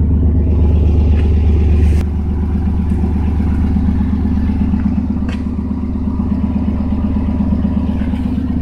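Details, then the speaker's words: 1992 S10 Blazer on a cold day after new plug wires (number 5 was bad) fixed a bad multi-cylinder misfire: a low, steady, even idle with no stumbling and no check-engine light; normal idle. "It used to miss really bad. Now it's nice and smooth."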